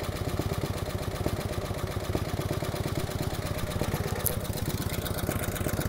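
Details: 1949 Harley-Davidson FL Panhead V-twin, loose, lopey cold idle with a light, quick ticking from the top end. Tapping from the upper pans, suspected solid lifters; pushrods are to be adjusted.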